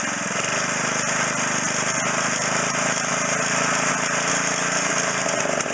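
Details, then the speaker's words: McLane edger after carburetor stripped, flushed, fuel lines unclogged and idle screw turned out half a turn, at half throttle: fast, steady buzzing drone with even pitch, no misses or surging; running normally at high speed. "This is on half throttle. We're going fast."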